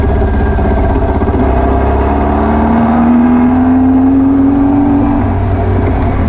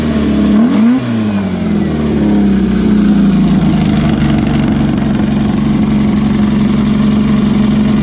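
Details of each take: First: VW beach buggy with an air-cooled flat-four, on a road test after new plugs, leads and distributor arm: it still misfires, popping and stumbling under acceleration. The owner suspected over-fuelling, but the cause proved to be a blocked idle jet in one carburettor. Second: VW beach buggy, Prowler body, after clearing blocked idle jet in driver's side carburettor and rebalancing the carbs: revs then settles to steady even tickover slightly fast, popping and misfire cured, running cleanly.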